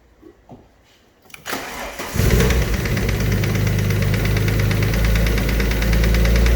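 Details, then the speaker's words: Alfa Romeo 147 GTA engine restarted after top-end work, now settling into a fast idle with a steady deep bottom-end knock about three to four per second. Top end has quietened; the bottom end needs a rebuild. "oh man so yeah bottom end is knocking we've uh gone through everything else on the top end just to try and eliminate everything"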